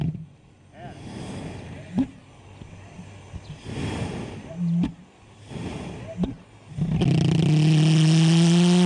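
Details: Pulse jet asphalt heat lance lit with a propane torch instead of spark ignition: soft hissing and pops at first, then near seven seconds a loud steady low buzzing drone takes over as it lights and runs evenly; normal.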